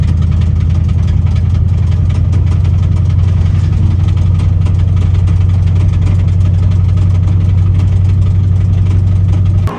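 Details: Mustang V8 after a Sebring Raceway track day that destroyed the rod bearings. Deep, lumpy idle with a steady underlying rod knock, the sign of spun rod bearings.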